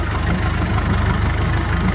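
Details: Massey Ferguson 290 diesel tractor after bleeding air from the injector lines to fix a no-start: steady, deep diesel chug at an even pace with no missing beats or knocks. Normal, healthy idle.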